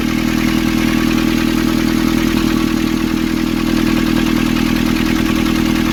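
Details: Nissan Urvan ZD30 diesel (possibly 2015) after a no-start repair in which a clogged, soot-filled part near a sensor was cleaned and refitted: even, steady clatter at constant idle, no misses or hunting; running smoothly.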